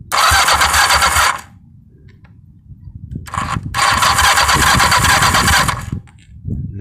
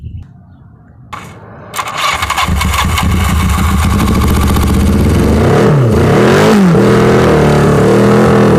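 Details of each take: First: 1982 Yamaha 550 motorcycle, not run for about 4 years, after mild carb cleaning and wiring rework, jump-started from a truck. Ragged bursts that cut out and stumble; it runs rough. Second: 1982 Yamaha 550 motorcycle, not run in about four years, after mild carburetor cleaning and wiring rework: quiet fumbling, then the engine catches, settles into a steady beat and revs up and down cleanly; runs fine.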